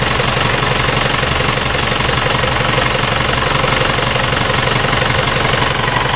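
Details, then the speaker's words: Isuzu Panther diesel (red), 2000 or older, repaired with used liners, one of four injectors weak, injection pump not serviced, at idle: loud clattery idle with a slightly uneven knock about twice a second; slightly rougher than the new-liner engine. "dan ini kalau menurut pendengaran saya mesin ini suaranya agak sedikit lebih kasar"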